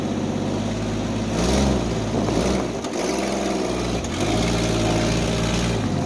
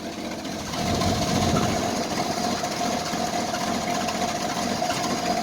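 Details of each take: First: Jeep Wrangler YJ, carbureted, started with a jump pack after sitting for months; once it fires it smooths out into a steady, even idle with a couple of light rev blips and no knocks or misses. Owner mentions a small vacuum leak. Normal idle. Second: Carbureted Jeep Wrangler YJ cold start at about 25 degrees after sitting; the engine catches and settles into a shaky, lumpy, unsteady idle. Owner says it's shaking and suspects an exhaust leak; rough cold idle.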